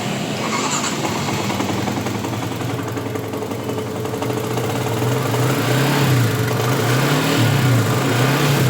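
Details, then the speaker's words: Yamaha Jupiter MX 150 after engine rebuild (crank bearings, piston, con rod, camshaft, rocker arm, crankcase bearing replaced following coolant-in-oil from failed water pump seal): smooth even single-cylinder idle with light blips, no knock; normal. "Ya, udah nyala normal halus seperti sedia kala semestinya."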